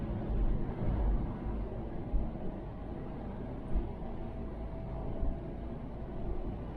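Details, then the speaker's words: Mk3 Ford Cortina 2000 GXL with BW35 automatic, cruising in top gear after changing up: soft even engine drone under light road noise, no knocks or whine, very quiet; normal cruise. "that's smooth whoa yes listen to that how quiet that is"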